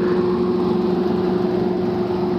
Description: I get up to the unit and the blower section is vibrating. I find the spare belt inside the blower wheel.